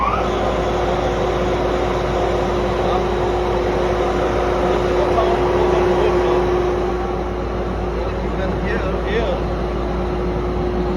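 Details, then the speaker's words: Paint sand mill after bearing replacement and belt retensioning: even, steady hum with one constant tone, no knocking, grinding or squeal, previously very noisy; normal running. "quiet no sound for the bearings and it's turning perfect."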